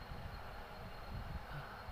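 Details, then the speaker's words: Refrigerator that was not cooling although its light stayed on. The compressor starts and runs at 0.6 A, dropping to 0.5 A, which is suspected to be low. It gives a low, steady hum with no clicking: normal compressor running. "Ah, itu kompresor sudah jalan di sini amper 0,6."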